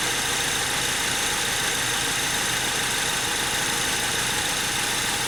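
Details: 2003 Honda Civic EX with P1129 MAP sensor code (rough idle, stalling, limp mode), cool engine just started: even, steady idle under heavy hiss, no misses, knocks or hunting; normal idle.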